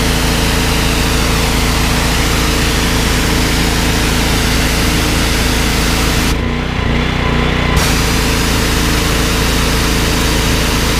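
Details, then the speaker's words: Briggs & Stratton XR2100 14 hp driving 21-litre pressure washer pump, easy start: steady loud single-cylinder thrum holding speed without dipping when trigger pulled; healthy under load. "you could hear ie how easy the engine was to start and you can you see on the pressure gears out it's certainly not dying when you pull the trigger"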